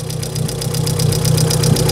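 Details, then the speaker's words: VW Polo 1.6 EA111, first start of the day: fast even ticking about nine a second over a steady, smooth idle; hydraulic lifter tapping, exhaust manifold leak also suspected. "Te parece ser do tucho, mas o motor também, ó, tá redondinho. Tá batendo o tucho."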